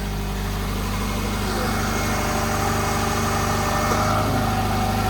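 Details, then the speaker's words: Subaru Forester idling right after an engine swap: steady, even idle with a smooth low rumble, no knocking, ticking or rattles; timing doesn't sound off, nothing loose or leaking, engine sounds healthy. "doesn't sound like timing's off doesn't sound like anything's loose doesn't sound like anything's leaking"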